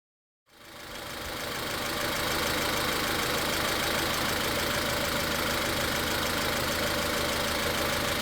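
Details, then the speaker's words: Car with a cylinder 3 misfire: unplugging the coil connector on cylinder 3 changes nothing, so the problem is not spark, and an injector-connector test gives the same result. A rough, uneven chuff near four beats a second; cause still unknown. Cylinder misfire. "Entonces, ya en este punto nos estamos dando cuenta de que hay falla en el cilindro tres y de que el problema no es la chispa."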